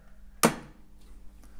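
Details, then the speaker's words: Single-phase contactor whose coil is switched by a one-way switch fed from a 6 A MCB: one sharp clean clunk as the coil pulls in, then a faint hum, a normal pull-in. "this is operating the coil and so we're going to turn the you'll hear the coil pulling in the contactor"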